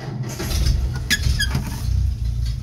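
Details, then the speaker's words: Old Nash flathead six, 6-volt positive earth, long stored, possibly no fuel in tank, starter fluid used: slow, labored cranking with a few uneven catches that die away; cranks but won't start yet. "oh she almost started did you hear that let's try again"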